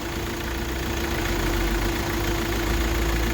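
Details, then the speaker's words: Hyundai i20 petrol after fixing engine knocking/misfire (injector circuit open fault): engine settles back to idle rpm by itself, smooth steady hum, no vibration. Normal idle. "इजन sound buckle सही हो अपने आप slow हो र है engine अपने idol RPM प आ जागा"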